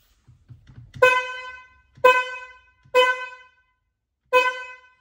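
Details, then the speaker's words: BMW F80 M3 horn: four short honks with a thin, high, reedy single tone and no deep note beneath, sounding like a clown car; the low-frequency horn of the high/low pair has likely failed. "There's two horns. There's a high frequency and low frequency. And I believe it's one of them. I have to check, but basically the horn sounds like a clown car."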